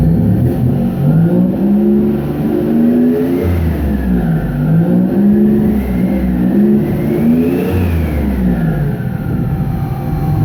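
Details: 1999 Nissan Frontier Turbo free-revving smoothly up to 4500 rpm with a faint turbo whistle spooling gently at higher rpm. Crank/cam trigger and home signals had been breaking up near 1400 rpm, limiting revs to 1600; fixed by setting ECU input filter levels to 0. Normal.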